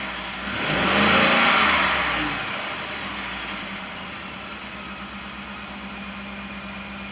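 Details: 2018 Ford F-150 XLT 5.0 V8 after a fuel pump replacement for a no-start: quick throttle blip rises cleanly and settles back to a smooth steady idle without stumble; normal revving.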